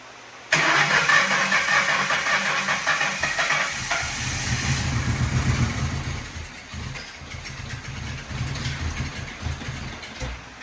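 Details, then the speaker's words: 1997 Lincoln Town Car Signature bought with an unknown engine fault, started to blow out a suspected blocked catalytic converter: cranks, catches, then runs ragged with sputtering surges instead of a smooth idle; some cat material came out; cause unconfirmed. "I don't know if that would have anything to do with the timing chain making noise or what but it seems to be backfire sputtering and whatnot so let's get that cut out"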